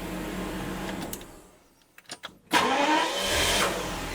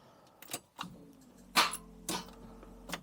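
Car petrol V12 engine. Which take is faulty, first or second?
second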